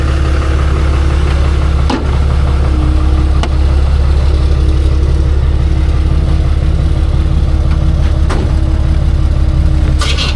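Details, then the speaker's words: 1965 Chevy C10 pro street truck with a big block 454 V8: a deep, loud idle with a rapid, uneven ticking puff on the exhaust beat, an exhaust leak from a broken header. "Sounds like it's got an exhaust leak now too. Broke the header."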